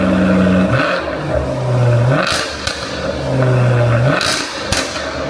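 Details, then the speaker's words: Jaguar F-Type cold start, active exhaust valves open (loud mode), which even when working stay open a few seconds until engine vacuum builds to close them; loud revs flare and settle to high booming idle: normal cold start with valves open. "But even if they were working, they're in loud mode for a few seconds until the engine and vacuum system builds up enough vacuum to be able to close the valves and annoy your neighbors within that time successfully."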